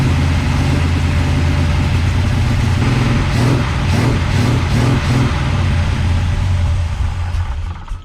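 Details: Big-cam big block Chevy with a freshly rebuilt Holley 750 Double Pumper reset to base settings. Deep lumpy, hunting idle with no steady rhythm: rough idle, likely carburettor mixture.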